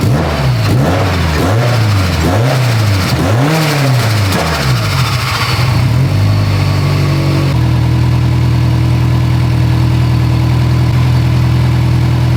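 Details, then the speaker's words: Car after dielectric grease on the main harness connector: revs then a slightly lumpy idle. Still misfiring with no check-engine light; drives fine. Owner thinks the connector issue is resolved. "the car runs decent it still has a miss it drives fine i don't notice anything weird drivability wise but it's definitely still misfiring"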